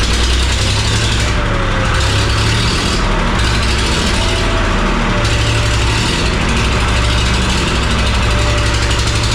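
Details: 3-cylinder Lister marine diesel, just started after the flooded engine had 8 liters of water pumped out: heavy chug surging and sagging every second or two, a rough hunting idle needing lots of throttle. Air in the system or water suspected.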